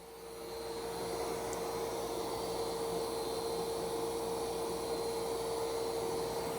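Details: iRobot Roomba Plus 515 robot vacuum-mop cleaning a test area of mud, dirt and long hair: a steady high motor whine with brush swish, no rattles or labouring. Running normally.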